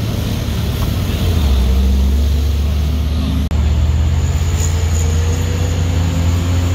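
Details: Truck on the Sitinjau Lauik road: loud, deep droning with a loose helicopter-like chop at about three to four beats a second over the engine rumble.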